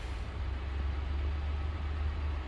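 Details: 2020–2021 Ford Transit T250 that had a no-start from a worn riveted big fuse on the board shorting out, now temporarily running; low, even rumble with no misses, knocks or surges, settling into a steady healthy idle.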